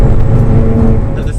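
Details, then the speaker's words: Mazda RX-8 6-speed on new Federal 595 semi-slick tyres, 18-inch BBS wheels, cruising straight: steady deep hum with no knock or rhythm, heard in cabin; normal tyre road noise, not a fault. "so on a straight um i can feel the car because the noise is telling me how we can feel that friction"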